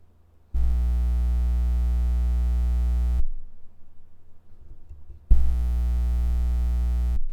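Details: Blue Spark SL Blackout Edition microphone, about one to two months old: loud low buzzing hum switches on and off with each touch of the blue logo or body; suspected internal grounding fault, unconfirmed.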